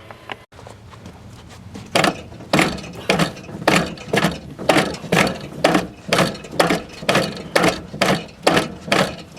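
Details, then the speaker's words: NOMA 8hp snowblower with locked wheels, drive forced over: steady ratcheting clunks about twice a second. Owner suspects a dry, binding drive chain and lubes it; movement slowly improves. "i really do think it's in the chain let me get some more lube on it"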